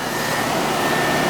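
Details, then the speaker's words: Ruud first-floor AC condenser after replacing a bad capacitor and the blown-off compressor common wire: steady even air rush and hum with a faint constant tone, no buzzing or clatter; lines cold and sweating, charge fine; normal running. "Just started it. So we had a bad capacitor. And that common wire to the compressor blew off bad."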